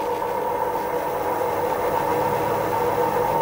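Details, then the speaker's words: Dual Moto electric scooter damaged when hit by a BMW, after replacing wheel bearings (6003 and 6202) front and rear; wheel spins freely with a steady smooth hum, no grinding or rumble, sounding like new. "it sounds beautiful now, it's like new! so two pairs of bearings made this scooter sound like new that's how important they are"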